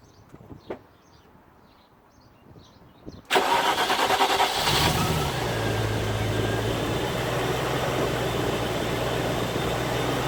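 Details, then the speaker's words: Land Rover Discovery 1 3.9 V8, first start after about 18 months standing, cranked first to build oil pressure: it catches almost instantly, flares, then settles into a steady, even idle. Healthy start; a lifter sometimes taps on start. "considering it's been stopped for about 18 months it pretty much fired up straight away"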